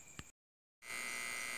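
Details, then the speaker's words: Homemade simple 12 V to 220 V inverter with small transformer, output around 190 V: constant high-pitched buzz from the transformer's construction and varnish; MOSFETs not heating; inverter transformer buzz. "e é esse barulho é seu ruído é na verdade mais mesmo é por causa do transformador não é do feitio do transformador que no próprio verniz não não tá apertado um parafuso Então nesse vibrados barulho bem alto aí é devido ao próprio transformador o feitio do transformador"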